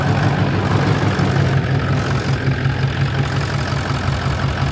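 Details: Stainless dump truck started right up after sitting 4 years: steady low rumble at idle with an even beat, no knocks or misses; exhaust possibly broken, soon runs out of fuel.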